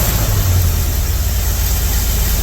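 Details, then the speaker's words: 1982 Chevy K10 that sat nearly 5 years, idling after a jump-pack start. Loud, deep, uneven rumble with lumpy low pulses. Rough idle and misfire. "Good idling. Yeah, definitely got a miss."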